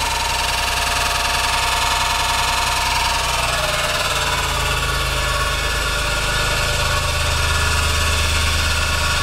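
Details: Engine makes a loud, rough, uneven clatter over the running engine that persists as revs change; compression checks out, timing is correct and VTC solenoids operate correctly, cause still undiagnosed — abnormal engine noise.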